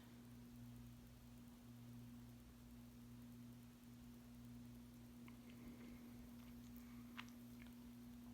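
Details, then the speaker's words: 52-inch oil bronze Harbor Breeze Caratuk River ceiling fan with gazebo light kit (possibly CFL bulb), on low speed just after start-up: steady low one-pitch electrical motor hum with faint ticks; fan hums a lot and has some vibration issues. "As you can tell, this fan hums a lot."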